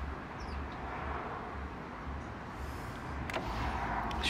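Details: 2005 BMW R1200ST integral ABS brake bleeding: low buzzing whir pulsing steadily as the ABS pump runs while the bleeder is opened; much air and bubbles come out. Normal pump running.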